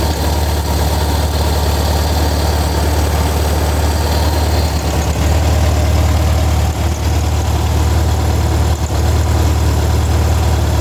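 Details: Air-cooled Volkswagen flat-four on a test stand with a newly wired and programmed FiTech fuel injection kit: deep, steady idle, even beat with no misses, knocks or rattles; running healthy.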